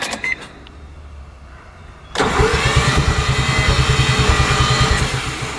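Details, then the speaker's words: Mazda RX-7 FD with a 13B-REW rotary engine, engine swap, starter fluid fed into the throttle. Fast, even cranking at about three beats a second with no firing or catch. It spins freely and seems to have almost zero compression. "this thing sounds like it has zero compression it's not very helpful"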